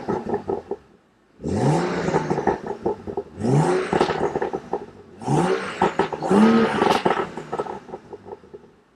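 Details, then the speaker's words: 2015 BMW M235i (N55 turbo), stock exhaust, in Sport Plus mode so exhaust valves open; three sharp throttle blips with crisp rise and fall and loud crackling on overrun; healthy engine revving freely. "So gonna throw it in Sports Plus. I hope the valves open right now. They did."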